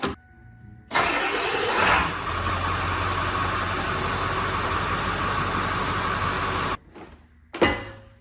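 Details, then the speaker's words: 1984 Mercedes-Benz 300SD diesel: about six seconds of steady laboured slow cranking that never catches; cause unconfirmed. "It was just turning over way too slow. Even with a brand new battery in here, this thing was cranking like a snail."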